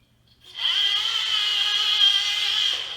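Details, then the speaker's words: ROCHOBBY Katana RC crawler with new ESC and Hobby Plus FF030 motor, run at top speed: steady high-pitched whine without motor roughness or ESC whine; brass pinion meshing on the plastic spur, pinion possibly marred during removal. "The noise from the motor is gone. The noise that you hear now is the brass pinion on plastic. And I think I marred the pinion a hair when I was removing it."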